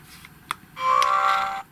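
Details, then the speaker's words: GHD Chronos S8M261 hair straightener at 190 °C: short, fast buzzy vibration from the piezo buzzer mounted too close to the on/off button; holding the button pressed stops the vibration; a poor design. "you hear that vibrating noise I don't know whether you can hear it on this camera or not but if I press the button and hold it then you don't hear that vibrating so I just it is very fast vibrating from that buzzer don't like that"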